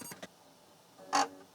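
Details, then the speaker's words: Atari 810 floppy disk drive loading a game disk: a couple of quick taps then a louder hollow clunk; weird clunking during load, suspected copy protection or bad disk, and the program then loaded. "Uh-oh. Could be copy protection. There was making a weird clunky noise there. Or it could be bad disk."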